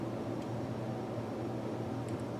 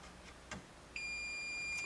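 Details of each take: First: Amplifier hum from the squawk-and-talk speech board of an early-1980s Bally Midway Embryon pinball machine, stored over 30 years; turning the knob raises a low steady hum, showing the amplifier works; replacing the capacitors should remove or reduce the hum. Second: Bally Midway early-1980s pinball machine stored over 30 years, power off, multimeter diode setting across a fuse in place: quiet background, then a steady high-pitched tone about a second long, the continuity beep showing the fuse conducts.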